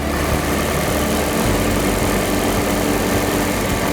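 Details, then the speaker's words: Ford Model T, hand-crank started with choke, spark lever pulled down: steady busy idle with even note picking up slightly; running fine, no misfire or knock. "The control on the other side is the throttle or gas pedal. And we just idle it down to where we want."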